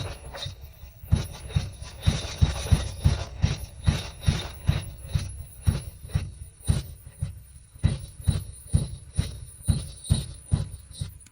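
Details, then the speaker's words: Third-generation (1986–1989) Honda Accord revived after years abandoned, with all pistons replaced and a blown fuse changed: even starter chugging goes on without catching; it showed signs of starting on ether but became less likely to start. "first, there was a sign of starting when sprayed with ether, but as it went on, it seemed less likely to start."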